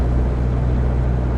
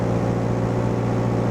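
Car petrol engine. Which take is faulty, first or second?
second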